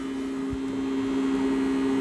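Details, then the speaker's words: YCX-131 SY10048 "MPPT" solar charge controller on a bench test, fed from a power supply simulating panels, at about 1–2 A. Steady mid-pitched hum with a faint buzz: it started vibrating under load, cause unknown. "E não sei se vocês conseguem ouvir, ele tá vibrando. Ele começou a fazer um um barulho aqui. Começou a vibrar."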